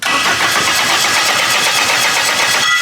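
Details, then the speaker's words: Honda K-series engine project, first crank and start: harsh raspy grind as starter engages and engine fires; owner suspects tight tolerance between starter gear and flywheel. "that starter engagement is gnarly what's the thing when you turn the key though it's just like the starter gear coming off the flywheel it's probably really tight tolerant tolerance"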